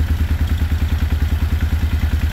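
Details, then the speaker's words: 1995 Suzuki Intruder 800 V-twin after 13 years stored, idling unassisted once battery works: steady even loping thump around eight beats a second, no clatter or misses; a large exhaust leak noted, carbs out of sync. Normal running. "But it's great. It's idling. I don't have to do anything. It fires right up once the battery is working correctly."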